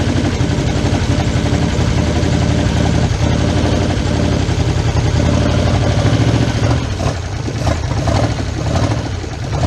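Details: 1977 Chevrolet K20 4x4 V8, first start in 16 years, gravity-fed fuel through a cut fuel line: deep steady idle rumble with slight wavering but keeps running; still needs fine tuning.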